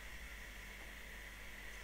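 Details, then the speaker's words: Raspberry Pi 4 Model B starter-kit board after the operating system is shut down: faint steady whir with a thin high tone, no speed change; case fan keeps spinning because the board stays powered until supply is cut. "le système d'exploitation est arrêté mais le ventilo il tourne toujours donc système arrêté mais raspberry P pas arrêté hein"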